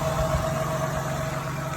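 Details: Idle after power steering pump noise fix and air bleed with reservoir left open about 3 minutes: steady even idle with smooth low hum, no whine or groan from the pump; normal idle.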